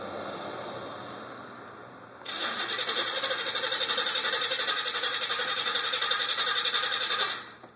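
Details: Green El Camino that is rarely driven, heard through a window: starter cranks steadily about four turns a second for about five seconds without catching, then stops; a hard start, cause unknown.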